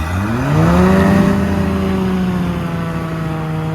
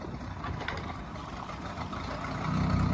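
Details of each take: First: Volvo Penta 4.3 with aftermarket throttle body fuel injection, boat load test in a tank, held at about 3800 rpm in forward: steady high-rev tone surging slightly, bubbles at prop; propeller cavitating; engine temperature 148–150 with 195 thermostat, running cold. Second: Volvo Penta 4.3 with aftermarket throttle body fuel injection, boat load test in a tank: low idle sags when shifted into forward or reverse, then the computer brings it back up and steadies within seconds; normal idle recovery.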